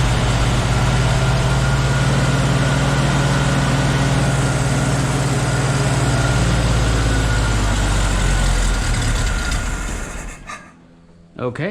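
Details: Jeep with a Dana 41 rear axle, restarted in neutral with the choke left on, with a fuel fitting leaking: a deep throbbing idle that hunts and won't settle, not idling as usual.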